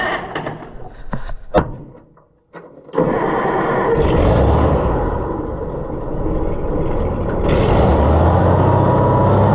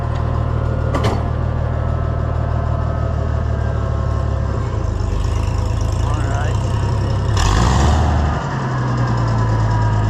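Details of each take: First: Oliver 1650 tractor engine just after governor replacement, first start: cranks and catches, then runs up to a high steady roar and surges higher instead of settling; revs up too much, new governor needs adjusting. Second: Oliver 1650 tractor engine after governor replacement and adjustment: steady low beat picks up promptly with throttle and settles evenly; governor responds right away; engine has a slight tick, old governor pieces may remain in the pan.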